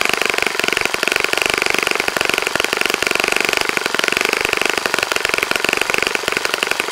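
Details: Saito FA-65 model engine on its first run after rebuild, APC 12x6 prop, Morgan's Omega 10% fuel, Fox Miracle plug, heavily primed to start; loud even high-pitched buzz at steady high revs, no misses or sputters; normal running.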